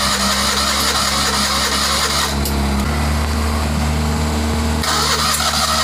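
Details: Citroën 2CV with an unknown spare engine swapped in, first start after years of sitting, oil not yet changed, very smoky: uneven, lumpy running with revs surging and dropping as it clears its throat; rough running on first start.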